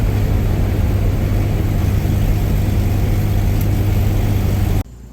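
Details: Suzuki SX4 after replacing failing Varajet II carburetor with a Holley 3200 on an Offenhauser adaptor, electric fuel pump at six psi, first start: deep steady engine drone, even, no knocks or misses; normal idle.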